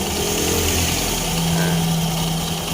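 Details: Honda Scoopy eSP scooter CVT, re-tested after removing the Mio J ring pulley, with the klotok knock blamed on a loose pulley bell plus the Mio J pulley: steady, smooth idle drone with no knocking from the belt side; CVT normal.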